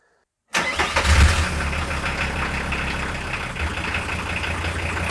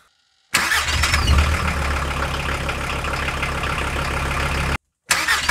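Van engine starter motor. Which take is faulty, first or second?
first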